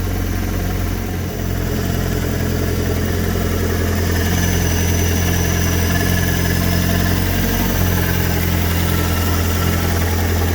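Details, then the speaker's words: Fiat Punto GT 8-valve turbo engine run with no air filter system fitted, not boosting, blue smoke puff on cold start: steady low idle with uneven, lumpy pulse; poor starting and idling, turbo rebuild expected. "It doesn't run very well, but it does run. And if you can see immediately what the problem is with it running, is there's no air filter system on it. So it's not the best for starting and idling at the moment."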